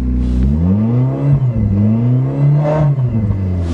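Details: 1990 Honda automatic after winter cold start in snow: revs rise and fall smoothly with clean even firing, no knocks or misses; healthy running, though owner says it has a bad clutch.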